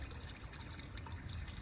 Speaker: Okay, guys. He turned on the hot water. We can hear it.